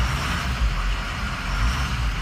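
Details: Engine idling after a clogged valve was replaced with a clean one and left unplugged so it stays closed: a steady, even low rumble with no misses or stumbles, back to normal.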